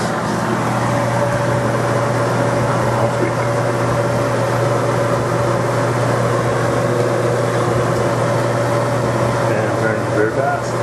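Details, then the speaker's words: Whirlpool Cabrio dryer after replacing the squealing idler pulley: steady even hum with a soft constant motor tone and no squeal or chirp at start-up; drum drive sounds healthy. "power back on let's start it up see the squeeze gone"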